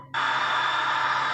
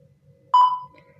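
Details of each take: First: Kresek-kresek (crackling) radio static from a DHD double-DIN car head unit after repair of a no-sound fault; a steady, even hiss with no station locked in, caused by poor reception on a makeshift antenna. Sound is restored and the radio picks up signal. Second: Disassembled double-DIN car head unit on the bench, display works but no sound: one short, clean menu-key beep against near silence, with no music or radio following. Still no audio output.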